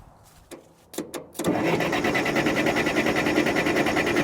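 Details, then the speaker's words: Case 580CK backhoe after a long winter sitting, in neutral, before transmission repair: a few clicks then steady starter churn about three beats a second with no firing; cranks, no start. "Come on, baby, start. Oh boy. Give it a little bit more fuel."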